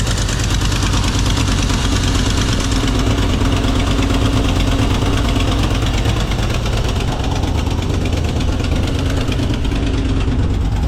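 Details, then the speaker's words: 1982 Ford F-150 302 V8, manual, with a new low-budget carburetor fitted and plug wires reconnected after running on 5 cylinders: steady, even idle with a firm low rumble, no misses, slightly high at about 1,000 rpm; normal idle. "Well, it's still idling a little bit high, about 1,000 RPMs. So needs a little bit tweaking, but it sounds much better and it's not leaking."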